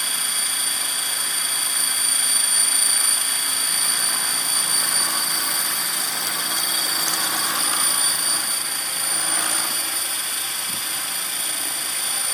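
High whirring rotor buzz with a wavering, beating pulse at a steady hover; something in the head or drivetrain is vibrating. Cause suspected, not confirmed.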